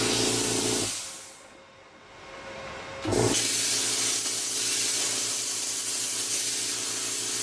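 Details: Tork CAB-50 plasma cutter arc test after replacing the compressor capacitor that caused low air pressure: short pause, then steady even rushing torch hiss with faint low hum; normal plasma cutting arc.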